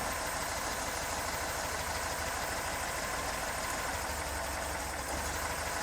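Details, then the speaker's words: 1974 Porsche 912 flat-four at idle during a plug-wire drop test, one wire pulled: slightly lumpy but steady, even beat. The rpm drop is even across all four cylinders, a good sign for the ignition. "so the drop is even amongst all four cylinders so that's another really good sign"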